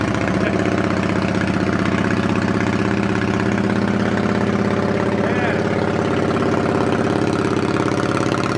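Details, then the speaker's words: 2008 Yamaha V-Star 650 carbureted twin, first start after winter storage with fresh gas and carb cleaner, on choke, started without throttle; even, steady low thump at cold idle with no misses or knocks, healthy. "I usually give it gas but want to see if it starts by itself it started by now"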